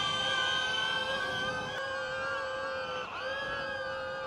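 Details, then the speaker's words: DJI Neo drone carrying a 50 g payload: took off and hovered fine, but in flight the high propeller whine wavers, sagging and surging as motors fight to hold altitude, losing control and dipping to the ground; overloaded drone motors straining. "oh you kind of hear it starting to go at 50 g I was able to take off without any problems it hovered there for a little bit but when I tried to fly it it started to lose control"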